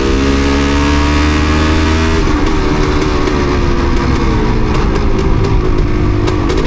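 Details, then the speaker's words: Yamaha DT250MX two-stroke trail bike with water on the plug, plenty of fuel: revs build smoothly, then break into ragged popping and stutter as it struggles to keep running. Owner suspects water; not confirmed. "Dear, oh dear, not so good, is it? Got plenty of fuel. Sure we have. Guess it's just water in that."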